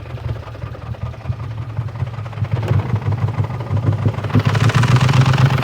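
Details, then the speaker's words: BMW E39 540i V8 on first drive with oil light on and suspected loss of oil pressure: rough, uneven rumble with clatter growing louder over seconds; owner suspects cooked heads or whole engine, possibly low oil. "it's actually starting to sound kind of bad I think I might have just blown the heads up a little bit let's open this hood and see what we got oh it sounds really bad I think I blew the engine"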